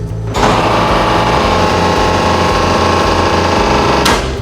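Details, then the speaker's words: Centrifuge refrigeration compressor switching on with miswired electricity supply at installation: harsh buzzing rattle with uneven low hum, starting abruptly then cutting off; abnormal start noise, unit should be switched off and supply fixed by electrician. "If that is the case, you will hear a strange noise when the compressor switches on. It sounds like [music] this."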